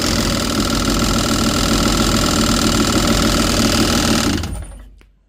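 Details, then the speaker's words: Yamaha GP800XL personal watercraft at idle after fixing low power from dirty fuel: fast tinny rattle about four beats a second that goes away when revved then returns; owner asks if radiator or engine mount, unconfirmed. "we have a bit of a rattle going on here All right. Um, when you rev it up a little bit, the rattle goes away, then comes back again."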